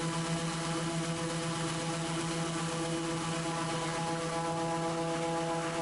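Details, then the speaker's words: Raptor prototype aircraft engine with newly working prop governor and redrive oil feed: steady even drone under load, no hunting, governor adjusting prop pitch to pull rpm from 3300 down to a consistent 3100 despite a jumping gauge. "so even though that gage is jumping around you can actually hear that the engine is fairly consistently set to about 3100 rpm"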